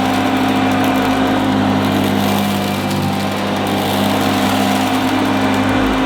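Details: 1977 Hoover Junior Deluxe upright vacuum: smooth, even motor hum with a steady tone, no rattles or scraping; owner calls it the quietest Junior Deluxe/Starlight he's used; normal running.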